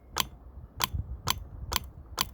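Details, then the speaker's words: Land Rover Freelander TD4 Sport used A/C compressor bench-checked: power applied to the connector's positive pin and negative touched; five crisp metallic clicks about half a second apart as the clutch pulls in, showing a working compressor clutch. "spin it and it looks that means the clutch is working in the AC pump you can hear it yeah you might go see it moving"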